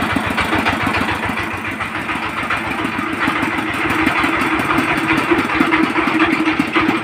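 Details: 20 hp single-cylinder diesel engine with excess valve tappet clearance, before adjustment; rough thumping about twice a second with an uneven drum-like knock and the odd skipped beat, slight misfire.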